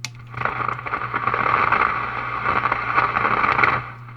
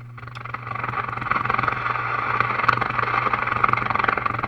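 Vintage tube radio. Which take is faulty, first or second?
second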